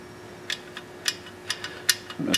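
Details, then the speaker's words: Polaris Ranger XP clutch sheave rocked by hand before a Duraclutch install: sharp, uneven clicks about twice a second from excess slop in the worn clutch bearing, which appears to have been eaten up by belt dust. "can hear that or not but that's that's quite a bit of slop in a clutch barring rolls nos"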